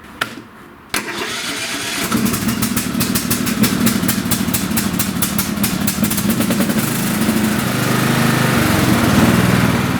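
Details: Lawn tractor engine that was hard to start, after the choke linkage was adjusted so the choke closes fully; cranks briefly, catches and settles into a steady, even idle with no misses, starting and running normally.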